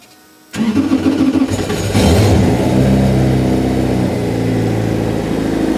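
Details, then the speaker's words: A V8 Mini, wrecked in a crash, cranks and catches after a throttle cable fix, then settles into an uneven, lumpy idle with an irregular stumble; a misfire is suspected but not confirmed. "I'm actually shocked. It runs. It It runs. I think it's misfiring. I think it's misfiring, but it's running."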